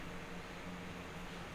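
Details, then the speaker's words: Riden RD6024 1500 W bench power supply under load: steady airy rush with faint low hum, no rattle or grinding; fans scale with load and quiet quickly when output is switched off; normal. "but it does automatically also scale with load because if we turn this off it basically quiets down very quickly"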